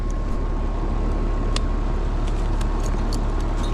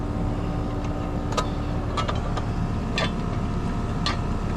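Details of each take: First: Home central air conditioner on a no-cooling call: steady fan drone with faint hum, no compressor running, suction line not cold, contactor rough; compressor not starting, traced to a failed 35/5 run capacitor. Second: Residential AC condenser on a no-cooling call, running after a new breaker was installed: steady compressor hum with even fan whoosh under handling clicks; pressures checked out fine, unit running normally.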